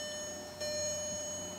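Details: 2006 Audi A3, gear stuck in park, dash lights on and blinking; faint regular click about once a second with nothing cranking; no-crank, no-start, fault not yet found.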